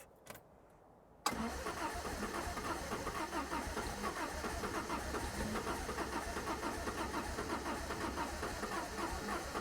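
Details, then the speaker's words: 1975 MG Midget 1500 with a starting problem, on choke after the mixture was adjusted. It fires after about one second and sputters raggedly without settling. Owner rules out spark and suspects sticking carburettor jets or needles. "see something is not quite right give it a little bit more choke right choke"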